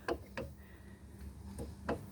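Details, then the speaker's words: 2001 Dodge 1500 front wheel hub turned by hand: sharp, uneven ticks as the worn bearing catches; bearing is shot, hub to be pulled and bearing replaced. "the bearing is shot so i what i'm gonna do is i'm gonna go ahead and do it like i did before take this i'll pull this out"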